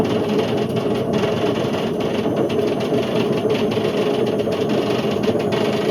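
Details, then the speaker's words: Indesit IWC71453 7 kg washing machine on a fast test spin aiming for 1400 rpm: loud constant rumbling roar with droning hum; drum bearings completely gone, drum eating into the plastic tub. "So the bearings have completely gone on this. To the point where the drum's just eating away at the plastic, and you know, you can't really do much of this. The bearings are gone."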